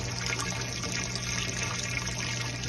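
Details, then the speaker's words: Mabe washing machine after replacing the drain pump (old pump's impeller broke, it hummed without draining) on spin: water rushing over a low smooth pump hum, no buzzing, draining normally. "la pemos a llenar un poco para ver que la bombita del desagüe funcione como debe ser vamos a poner en centrifugar para ver que el agua Ah ya no zumba la bomba"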